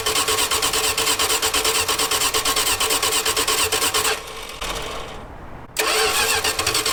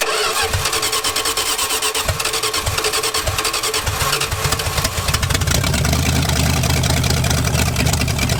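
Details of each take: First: V8-swapped 1946 Dodge Deluxe running off its own fuel pump for the first time; the neutral safety switch is bypassed. It runs choppily for about four seconds, sags and dies, then catches again; fuel delivery stopped, and the choke linkage was found disconnected. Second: V8-swapped 1946 Dodge Deluxe fed from a gas can, on open headers: cranks, catches, then settles into a loud, steady rumble with no knocks or misses before a loose fuel fitting leaked; normal running.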